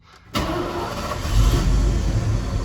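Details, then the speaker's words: 1981 Ford F150 4x4 with EFI swapped onto its engine: catches the instant it cranks and settles into a steady, even low rumble; a healthy quick start, though the owner notes a slight surge he thinks is timing, plus a belt issue. "starts right up it's got a belt issue but i can fix that later but it surges a little bit and i think that's just timing"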